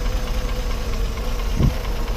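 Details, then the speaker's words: 1966 Toyota Land Cruiser FJ40, three-speed column shift, running on a cold day, revved lightly: a low, steady six-cylinder burble with an even pulse and one brief bump. Smooth, clean normal idle with little smoke. "u can hear it run you know it actually runs pretty smooth go ahead and wrap it up a little rev it up just a little bit"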